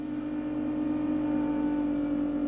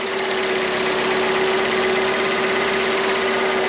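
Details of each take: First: Salvaged car with full service history and cambelt replaced, just started after sitting for ages; steady high-pitched whine at fast idle, no knocking, fading as revs drop; owner thinks it's from sitting, maybe the alternator, not confirmed. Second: Salvaged car with full service history and cambelt replaced, long sat unused: smooth, quiet idle with a steady low hum and no knocks or ticks, said to sound exactly like an F 500. Normal idle.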